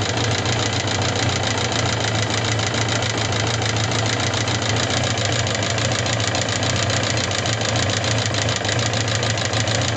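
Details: Suzuki GSX750S Katana engine: fast, even ticking clatter at idle, locked to engine speed, since a day of hard revving; unchanged after replacing rocker arms, camshaft and cam chain parts and setting tappet clearance 0.07–0.15 mm; cause unknown.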